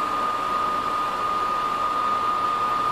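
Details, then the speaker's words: New Little Giant VCM-15UL AC/furnace condensate pump, installed after a leak and a cracked basin, filled with water: a steady, even hum with a constant tone near 1 kHz and no rattle or surging. Pumping normally. "i'll fill that guy up again and we'll double check it and as you can hear is pumping"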